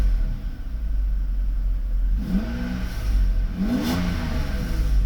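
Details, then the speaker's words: Mercedes V12 with Egas module, idling steadily with no ASR or ABS lights, then revved: climbs cleanly and smoothly through quick revs, no stumble or hesitation; effortless acceleration, Egas computer fine. "Acceleration is effortless, so the computer is fine."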